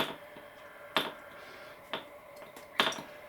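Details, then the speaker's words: DC Spitfire 1cc model diesel engine, fully stripped and cleaned after being gummed up, flicked over by hand before its test run: three sharp, crisp compression pops about a second apart, showing good compression. "But as you can see, it's looking lovely, and it's got great compression. Just listen to this."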